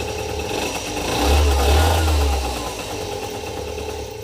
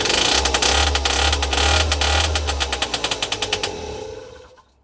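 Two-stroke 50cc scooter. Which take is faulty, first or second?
second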